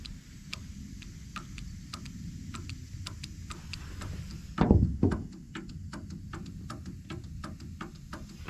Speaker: you can kind of hear the motor clicking, but the window might be stuck or something.